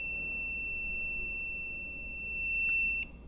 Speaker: so green and yellow is [Music] shorted